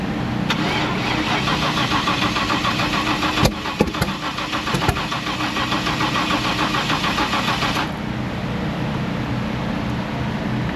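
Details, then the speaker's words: Pinks drag Mustang after a massive backfire at launch: steady starter churn, about three and a half turns a second, never catches. Rockers moving, no fluids leaking, fuel pressure present; logs point to a sensor. "It shut off. It will not refire. There's no fluids. There's no nothing. But it went pop and won't start."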